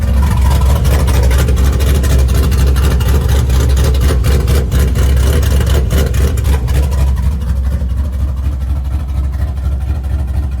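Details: LS-based V8 shop truck with new Howards Rattler cam and fresh exhaust, warming up: deep loping rumble with a choppy beat about twice a second, steady and loud; normal big-cam idle, still untuned for the cam.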